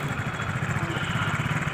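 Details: TVS XL 100 after engine repair with new parts fitted, fixing an engine noise that an earlier repair had not cured: quick, regular low putter at steady idle with no knocking or rattle; the noise is gone.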